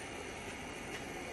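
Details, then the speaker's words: EGO 56 V lawn mower battery charger after cooling fan replacement, formerly made horrible noise: steady smooth airy whoosh with no ticking, rubbing or wobble; new fan different make; normal fan operation. "That's your fan. Yeah, it's a different make than the old one, but it's exactly the same."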